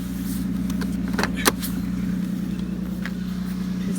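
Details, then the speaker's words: Worn 2002 Lexus IS300 with a 2JZ engine and 260,000 miles, idling with a light, uneven ticking knock. The owner says it is piston slap from too much piston-to-cylinder clearance, not rod knock. "you can hear there's a little bit of knocking right there right that's not actually the rod knock that is Pistons left so"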